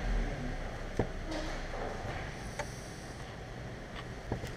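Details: Audi S4 with the 4.2 V8 (BBK) at a quiet idle, making sharp, uneven metallic taps every second or two from the intake manifold. The tapping is caused by an intake manifold flap.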